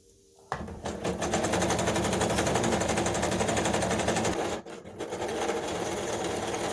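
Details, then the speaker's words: Kenmore 385-19550 computerized sewing machine (made in Taiwan), during servicing, sewing a pattern after widening stitch width: fast steady clatter about four stitches a second, harsh and quite noisy; cause not yet found. "so you can see the machines quite noisy actually here"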